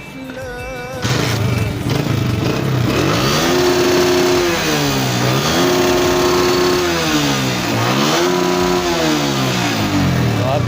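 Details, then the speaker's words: 2022 Honda CG125 motorcycle after tuning (earlier misfiring, backfiring and shutting off): the engine revs and settles smoothly, firing evenly with no misses. "है इसमें कोई missing नहीं है। आप लोगों ने सुन लिया होगा। इंजन भी बिल्कुल साउंडलेस हो चुका है।"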